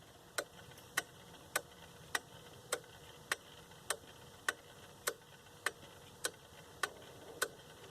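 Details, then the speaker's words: Leick solid-oak pendulum quartz clock, Tochigi Tokei movement with mechanical chime, stood vertical: crisp even ticks about every half second from the pendulum-driven gear, ticking normally. "I'm going to stand this clock vertical so we can see how the pendulum makes its ticking sound"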